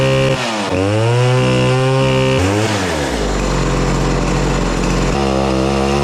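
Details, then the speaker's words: Chainsaw (owner unsure if a Chinese version) bucking logs buzzes under cut but pitch sags and wanders, bogging and never reaching full revs; bar end smoking hot after a few passes; gutless, low power, poor RPM. "that saw is a gutless dog it is pretty bad better it just it wasn't even pulling any RPMs"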